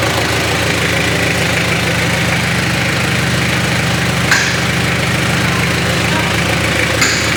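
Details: Mitsubishi Triton 4M40 diesel engine after overhaul: even diesel clatter at steady idle with no knock, miss or speed hunting; healthy freshly rebuilt engine.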